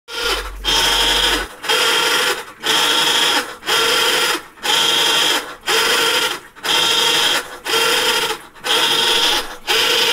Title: Maytag Centennial grinding noise. What is it?